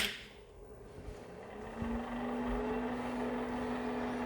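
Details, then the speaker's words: Old Compaq Plus Portable computer powered up for the first time: fan tone rises, then holds a steady hum with a slight wavering warble; cooling fan warble, judged not unusual for its age. "All right, hear the fan warbling, so not too unusual or unexpected for being this old."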